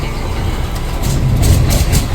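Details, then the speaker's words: Mercedes Axor diesel truck with no-start/no-crank fault and ignition stuck on, suspected GM module: deep rumble swells and settles into a steady beat within two seconds; starts and runs normally. "Ooh, Frankenstein is alive!"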